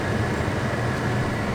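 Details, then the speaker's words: 2005 Jeep Liberty whose blower worked only on high. After blower motor resistor replacement, a middle setting gives a steady, even rush of air with no rattle or ticking; the blower runs normally and the fault is fixed. "so let's go back to blower one and you can see we got some air movement there which is great so we're good that fixed our problem"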